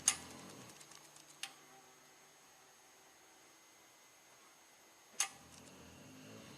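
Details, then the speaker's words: 1998 GMC Sonoma with EGR codes P0404/P0405 and an aftermarket EGR valve, during a scan-tool actuator test commanded up to 100%: a few crisp single clicks seconds apart as the valve steps open. Normal EGR valve operation. "Seems to be working just fine. 100%."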